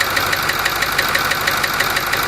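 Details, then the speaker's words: Ford 6.4 diesel V8 idling with a sharp, regular knock about six hits a second; disabling injector number 4 changes the cadence but the knock does not go away. "Here's the noise with number 4 cylinder disabled. It changes cadence, but it doesn't go away."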